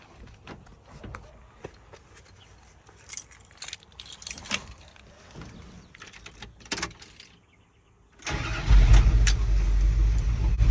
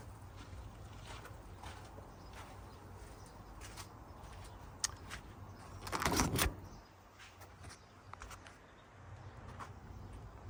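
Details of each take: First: 1981 Dodge Ram 350 V8 with an Edelbrock 600 CFM carburetor at idle before the fix: lumpy, uneven beat, running lean on one side from a clogged idle circuit; suspected sludge, cleared by blowing compressed air through the idle circuit. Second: 1981 Dodge Ram 350 V8 with Edelbrock 600 CFM carburetor, after blowing out idle circuit with compressed air and setting mixture screws half a turn out; steady even low rumble, no misses or hunting, runs smooth.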